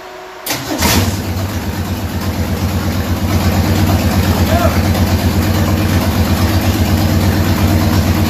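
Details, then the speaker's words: 1967 Ford Mustang under restoration, after fixing the carburetor that caused running trouble: cranks briefly, catches cleanly and settles into steady, even idle with regular low pulse, no misses; runs properly. "nd is running properly but it was the carburetor so that's awesome news and it seems to be working good right now"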